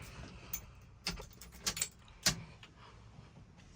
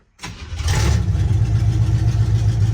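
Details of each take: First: 1976 Chevy C10 small-block 350 V8, just converted from 2-barrel to 4-barrel carburetor and intake, first startup with choke cable not yet wired: cranks and catches into a loud, lumpy, uneven idle; rough running from too much choke. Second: 1976 Chevy C10 small-block 350, just swapped from 2-barrel to 4-barrel carburetor and intake, timing set for startup, choke cable not yet connected: catches almost instantly and settles into a steady, even low idle; normal healthy idle.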